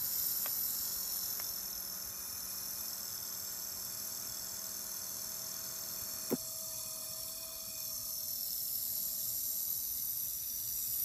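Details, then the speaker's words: HP x360 laptop fan after 10 months of use: hiss and thin steady hum with the blade seemingly hitting its metal case; fan error 90B appears at shutdown, and HP reflashed the BIOS. "up the noise seems like it's the blade is hitting a metal case and the error come up when we shut down"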